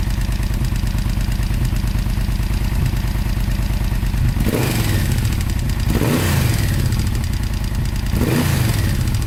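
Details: Yamaha VMAX 1200 V4 motorcycle idling with a steady clattery engine rattle, blipped up several times; cause unknown, owner asking for help.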